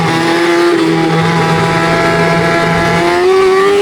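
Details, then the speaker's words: Sport bike engine revs with a steady rising and falling tone carrying an odd extra note; owner calls it a very weird noise, cause not diagnosed; abnormal engine noise. "And also, we're going to try to diagnose this weird issue that has come up on my bike. What do you guys think this is? >> Yeah, my bike started making a very weird noise."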